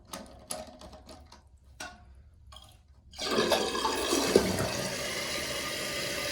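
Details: Toilet with newly replaced fill valve after lowering the float a couple notches: short rattle, then strong steady rush of water settling into even refill hiss; flush and fill normal, water level now about right.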